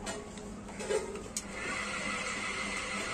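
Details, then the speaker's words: Ceiling fan after oiling and freeing a jammed bearing, original bearing not replaced; light steady whirring hum with faint high rasping edge; remaining noise is the worn bearing, which still needs replacing. "अभी जो आवाज आ रही है यह bearing ही आवाज है क्योंकि अपने बैरिंग चेंज नहीं किया है"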